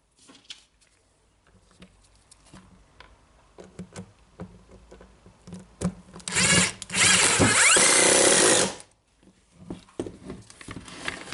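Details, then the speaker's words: Milwaukee AGV 15-125 XC angle grinder after replacing the faulty controller unit (was not regulating motor RPM) and carbon brushes: handling clicks, then a short loud even high whirr about 2.5 seconds, spinning up cleanly; in good working order. "Yeah, okay, so now we can turn it on again. Seems like in good working order."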